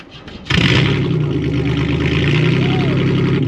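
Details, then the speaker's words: 1995 Pontiac Grand Prix 3.1L V6 rally car on a jump pack after failing to start on a dead battery: short crank, then catches abruptly to a loud, slightly uneven idle; hard starting. "let's turn the key see what happens you start come on oh you stupid freaking car nope"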